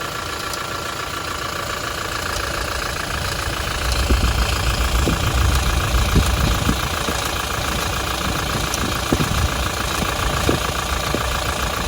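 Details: Toyota Hilux with 1GD-FTV diesel at idle: uneven metallic rattle of roughly three or four clatters per second over the diesel clatter, owner attributes it to the timing chain needing replacement. Timing chain rattle.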